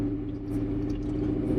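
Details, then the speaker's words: 1976 Ford F250 Highboy after Coyote V8 swap, first drive: steady, deep, even V8 rumble with a firm low growl, like a race car, and no knocks or misses; healthy, normal running. "Well, one I haven't driven this thing for a year, and the other is it just sounds like a race car. Yeah, it's got a growl now to it that didn't have before."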